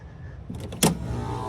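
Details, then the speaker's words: Carrier HVAC unit not cooling: with the open freeze stat jumped, a sharp clunk as the compressor kicks in, then a steadier, fuller hum over the fan noise; compressor starting and running normally. "hey, compressor fired up."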